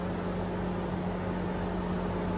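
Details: Chevrolet/GMC 5.3L truck at idle, about 45°F outside, code P0128, gauge reading low when warm, A/C off in limp mode: loud constant whir and hum; fan stuck on high from a faulty coolant temperature sensor.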